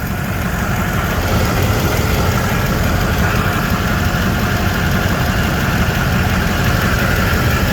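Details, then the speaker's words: 2008 Chevy 6.6L Duramax turbo diesel from a Chevy Express school bus, 108,833 miles, starting and idling with the oil cap off: steady low clatter with no miss or knock. Very smooth, quiet, zero blow-by. Normal diesel idle. "Go ahead and start it. Very smooth, very quiet."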